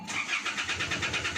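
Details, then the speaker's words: 2012 Isuzu D-Max 4JJ1 diesel that won't start after being parked: steady starter cranking, about seven pulses a second, never fires; check-transmission light blinking, no check-engine light, ECU not communicating, traced to faulty ECM main relay. "Naku, walang reaksyon. Nag-park lang at binalikan. Ayaw na mag-start."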